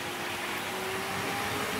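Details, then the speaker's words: Trix 22764 BR 120.0 DB electric locomotive, HO scale metal model, at 50% power: steady high-pitched motor whir with thin ~400 Hz tone; motor quite noisy, less than Fleischmann BR360 but noisier than newer models, still a smooth runner. "The motor on this train is quite noisy, although it's not quite as noisy as the Fleischmann BR360, but it is quite noisier than the"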